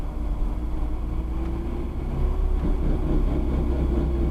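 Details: Car coasting in gear with the clutch engaged: a low rumbling grind with a faint rising drone on deceleration that stops when the clutch is pushed in; the noise never returned after the driveshaft center bearing was replaced.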